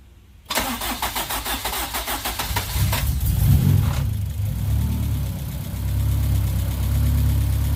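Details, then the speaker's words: Car just refitted with cleaned, flow-tested fuel injectors, after leak checks, not started for a couple of weeks and taking a couple of tries: quick rhythmic cranking, then a smooth, steady idle. Previously had a 3,000 rpm lean spike and idle problem; clean start after the fix. "start her up real quick so this whole she starts out a little bit took a couple chat couple tries"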